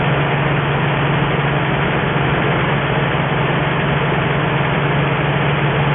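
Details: 1963 Ford F350 truck, first start in about 20 years, running off an auxiliary nurse tank with a cherry bomb muffler: steady low drone with an even beat, no knocks, misses or surging; normal healthy idle, coolant needs topping up.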